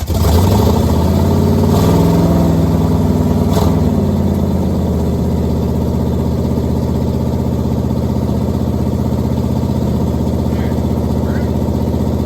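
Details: 1969 Pontiac Firebird, almost all original numbers-matching drivetrain, first start after sitting since 1994, no brakes: engine catches, revs briefly, then settles to a steady, even V8 burble without knocks or misfires as the car moves; runs properly.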